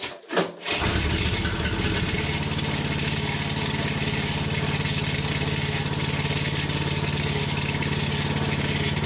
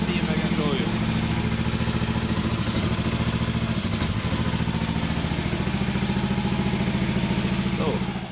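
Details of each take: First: Hinowa tracked mini dumper gasoline engine driving hydraulic pump, after pump coupling claw inspected and ruled out: clean start, then idle with fast even scraping tick; something inside housing hitting the cooling fan. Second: Hinowa tracked minidumper gasoline engine after repair: even thumping idle about three to four beats a second, no fan rub or scraping, parts ground in; normal idle.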